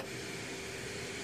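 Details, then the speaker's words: Samsung CK-3385ZR TV with volume set to one and microphone held to the speaker: steady hiss at very low volume with a faint constant tone underneath, strong white noise from the speaker output; cause unknown. "такой вот так называемый белый шум вот очень сильно шумит"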